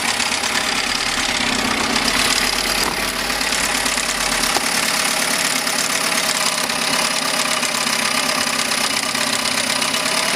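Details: 1971 Mercury 7.5 two-stroke outboard after new coils, water pump and carburetor cleaning, now pumping water; steady buzzy even idle with no misses or knocks; normal idle.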